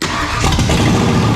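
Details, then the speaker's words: V8 engine in a 1963 Ford Fairlane build, first start after swapping to a 1997 ECM and correcting the ignition coil wiring: cranks, catches quickly and settles into a strong, fast, high idle with no misfire, running on all eight cylinders. "well it's that high idle because yeah he just started it but I mean I feel like she was running on all eight cylinders there"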